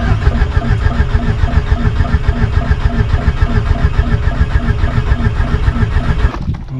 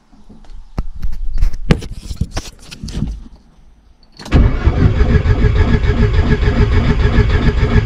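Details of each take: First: VW Golf 1.8 turbo being started for the first time after the build. Starter cranks with a steady, even low chug and no firing, only turning the engine over to build oil pressure before the injectors are connected. Normal cranking. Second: VW Golf 1.8 turbo on its first start attempt, coils and injectors connected. Starter churns in long steady bursts of about three beats a second but never catches. Crank, no start.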